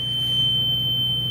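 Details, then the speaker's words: Bus emergency exit door opened: a loud, steady high-pitched alarm tone that holds without a break while the door is open. "do you guys ever hear an emergency alarm when you open the exit door you guys want to hear that let's hear it right now"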